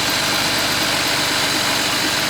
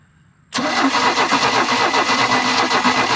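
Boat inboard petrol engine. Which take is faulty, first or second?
second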